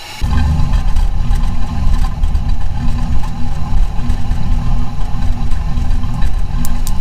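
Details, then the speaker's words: 1997 Camaro 3.8 3800 Series II V6 at idle: idle surges and bounces unevenly instead of holding steady; owner suspects a lower intake manifold gasket leak at the front, smoothing when sprayed, not yet confirmed. "take it away starts to surge idles bouncing around all sort of weird"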